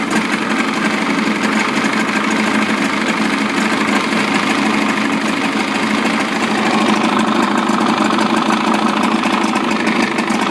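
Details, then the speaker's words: Evinrude 55 two-stroke outboard running in a water tank after a throttle cable adjustment: steady idle with an even, buzzy rattle and no stumbling, which is normal. "So every time the engine's in the water and you hear the idle and it's idling, that's okay."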